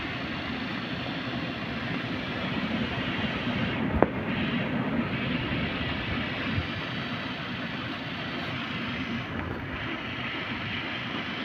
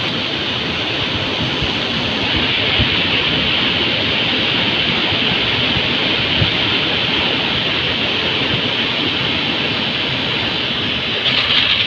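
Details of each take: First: Heater blower motor tested on the fuse panel feed with ignition on, at high speed. Steady, even rushing hum with no scraping, ticking or wobble. Normal blower motor running. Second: Heater blower motor (Volvo ventilation) fed from the fuse panel. Constant rushing hiss with a rough, uneven rattle underneath. Noisy blower motor.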